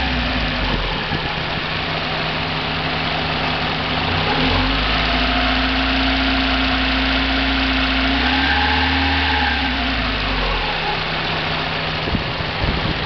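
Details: 1990 Mazda Miata at idle and revved: fast, fairly even rattle about 220 per minute that follows engine speed and separates from the lash adjuster noise, persists on 93 octane; owner suspects rod knock or spun bearing, unconfirmed.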